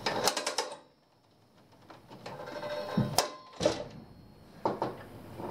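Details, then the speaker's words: Harbor Freight 50-ft 3/8 in rubber air hose reel, bought June 2014, almost three years old: a few quick light clicks, quiet, then scattered clicks; the ratchet only catches in certain positions and lets go if not caught. "when you pull it down it's only going to catch in certain positions like right now it doesn't catch now you hear it clicking and it'll stop now you can see if you don't catch it click it's going to let go"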